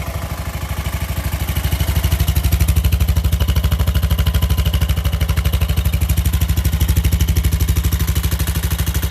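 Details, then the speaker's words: Craftsman LT1000 mower after motor swap to a roughly 16.5 hp Briggs with the old carburetor, choke on, first start: steady even low thumping at fast idle, no knocks or misses, quieter than the old engine; runs normally. "So hopefully it'll start up, no issue. Let's put the gas on, put the choke on, and battery. Don't sound as bad as the old one either."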